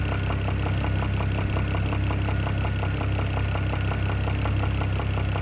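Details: BMW E92 335i N54 six-cylinder idling steadily with a sharp, regular ticking knock several times a second; owner thinks it comes from the top end, source not yet found.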